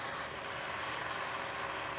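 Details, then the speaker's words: Model railroad yard turnout routing matrix (rotary switch selecting track routes) throwing Tortoise turnout motors together: steady, soft whirring grind at even level with no knocks or catches; normal turnout motor operation. "you can hear all the tortoises grinding."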